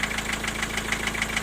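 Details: Diesel at idle: sharp, even knock about seven per second. It is intermittent: gone after highway runs, back after standing. The vacuum unit was replaced and the injectors were ruled out. The owner suspected valve shims or a piston pin.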